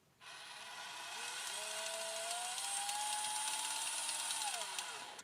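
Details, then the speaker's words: FMS FCX24 RC crawler, low gear selected (high gear works fine), jerky driving: high whirring gear whine rising with motor speed with a ragged clicking grind through it; a stripped gear in the gearbox, found on teardown. "do you hear the extra sound it is making like a clicking grinding sound"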